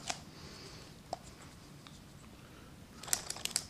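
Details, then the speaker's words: Gatling Stirling engine with six displacers, after the dirty hot end was disassembled, cleaned and reassembled with its O-rings. Each displacer pushed by hand gives light dry clicks, snapping freely with no drag: all six moving normally. "okay all six are working after putting this together those displacer sound like this snapping around they're pretty good"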